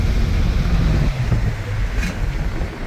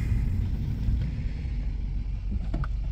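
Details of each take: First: Subaru with very low idle and stalling, on a wide-open-throttle road run: it pulls hard, then stumbles and hesitates from about 5000 rpm, badly at 5500 rpm. The check-engine light flashes for misfires; cause not yet confirmed. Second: Subaru with a customer complaint of very low idle, stalling and an oil-pressure light at stops, now after diagnosis: deep, even rumble at a stop that holds steady with no dips or hunting, a normal idle.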